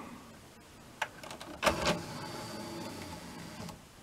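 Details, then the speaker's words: NAD M5 SACD/CD player disc tray: the motor whirs, then slows near the end of extension with a rough scraping grind and clicks. Suspected cause is dirt or dust in the tray drive mechanism; not confirmed. "nie powinien zwalniać na końcu przy wysuwaniu ale nie powinien tak chrobotać"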